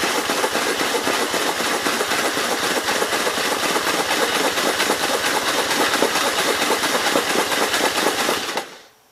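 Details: 1951 Gravely Model L single cylinder with a Wico mag and missing fuel bowl, hard to turn over; it chuffs at about two beats a second while cranking without firing and spits oil from the muffler, and the owner suspects no fuel reaches the carburetor.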